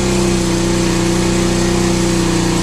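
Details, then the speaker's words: 50cc scooter starting then warming up; owner hears the bendix starter clutch gear is bad and sounds rough, may need replacing; single-cylinder buzz with raspy edge at warm-up speed — worn starter clutch. "it's almost time for a new bendix clutch i can hear that bendix clutch is bad but there you go she fired right up"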